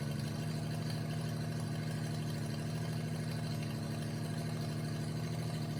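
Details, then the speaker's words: 1988 Jeep Comanche MJ 4x4 revived after years sitting (tank cleaned, new fuel pump and lines), steady warm idle: healthy motor but loud, raspy exhaust rumble from a cut pipe leaking under the cab at the first bend, not the header. "Uh the motor itself sounds really healthy, but the exhaust sounds terrible. All right, at this point in the video, if you're listening, you probably hear the change in tone of the engine. and it's not from the engine itself."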